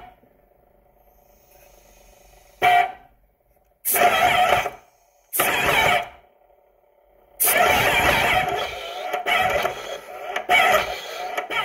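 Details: Graco/Titan airless paint sprayer with upper and lower balls: it builds pressure then intermittently loses it, the pump surging unevenly with hissing bursts and the piston dropping while under pressure. The cause is a bad lower ball leaking pressure.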